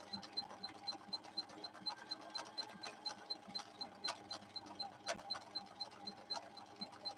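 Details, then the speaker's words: Husqvarna Viking 6460 sewing machine after repairs, run at maximum speed in slow gear. Steady ticking about four per second with a light motor hum, running smooth and even. "On this straightaway, I'm going to go to the max that this slow gear will allow me, so you can hear the motor being constrained back through the gears."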